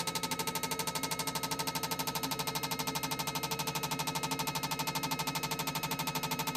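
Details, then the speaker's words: Honda RC45 RVF750 injectors, taken from a bike stored about 10 years and running on 2 of 4 cylinders, on a flow bench test: crisp, perfectly even clicking about three times a second with a steady spray hiss; clean pulsing. "so now we are all up to the injector testing fitted the injectors and now we're going to see the spray pattern and the flow"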